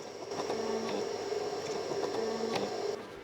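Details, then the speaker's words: Sony PlayStation 2 Slim with bad laser: faint motor whirr, irregular ticks and pitch shifts as laser and spindle hunt back and forth, failing to read DVD discs though a PS1 CD read; cause unconfirmed. "it sounds like the laser and maybe the spindle Motors uh desperately searching back and forth trying to read this thing so something is still not right"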